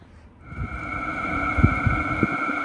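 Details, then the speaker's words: H Calory diesel heater about 4 minutes into running, reading 112° and still warming, drawing about 30–60 W after a 140 W startup. Steady fan hum with a constant high whine and soft irregular ticking; running normally. "if you can hear that clicking that's part of the startup process and you can hear the fan spinning higher and higher"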